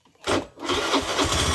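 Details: Honda Beat FI scooter that wouldn't crank, after battery reconnected with terminals tightened and fuel pump humming: short crank catches at once, settles into quick even idle, no stumble. Normal start and idle.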